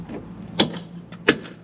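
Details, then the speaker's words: 2014 Toyota Camry driver's door swung open and closed: two sharp, loud snaps from the door check strap popping because its two mounting bolts on the door side have come loose. "yeah you can see it's really loud and it looks like it's coming from the door check strap here or the door check bar"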